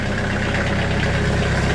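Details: Sawmill diesel, just over 30 hours, idling after cold start below freezing in Wisconsin, glow plug used, unused two weeks: steady even low chug, no knocks or misses, running smoothly while warming.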